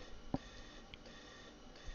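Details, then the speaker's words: Xvivo X3 lab chamber during gas dilution with nitrogen: single soft valve click then faint hiss over room hum; normal valve clicking, infusion and Venturi venting excess pressure. "you'll hear clicking you'll hear infusion you'll hear the Venturi taking out extra pressure so that's all normal things to hear"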